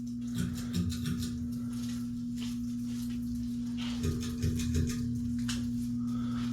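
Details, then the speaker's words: Outdoor-rated ceiling fans (two Hunter, one Harbor Breeze or Hampton Bay) on low speed in the dampest room of a historic theatre/church: constant low electrical hum; owner suspects the room, as they seem quiet upstairs. "They all do hum a little bit, but I think it's the room because You don't hear it upstairs, I don't think."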